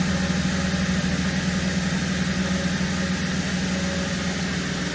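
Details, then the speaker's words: 2017 Holden Commodore SV6 LFX V6 after an oil and filter change and six new iridium spark plugs: a smooth, steady low hum at idle with an even beat and no misses or ticks, purring; normal idle. "Yeah. It's all done. Six new plugs. She's smooth. Yeah, she purrs."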